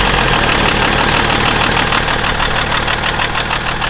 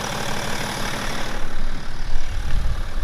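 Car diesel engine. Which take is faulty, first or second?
first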